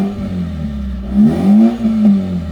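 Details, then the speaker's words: Mazda RX-8 rotary with a tune, a bit low on fuel, running after a missing fuel pump fuse was fixed: steady hum with a couple of quick revs that pick up cleanly and settle back. Normal running. "it's running all right. There you go, guys."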